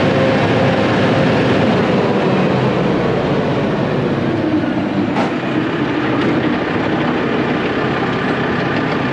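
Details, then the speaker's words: Used Fecon brush mulcher under hydraulic drive on first test after repairs: steady even roar with constant pitch, no knocking or surging, spinning smoothly, though hydraulic fluid was leaking from a hose; normal running. "that actually uh sounds pretty steep yeah it does real smooth unless we just leaked that much out we did yeah"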